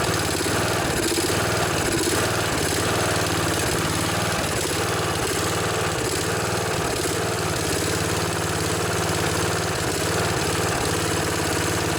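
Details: Snapper SR1028 riding mower, Briggs & Stratton flathead, first run after rescue, choke position, no air filter: steady chugging idle with occasional stumbles and sputters, smoking; owner suspects too much oil.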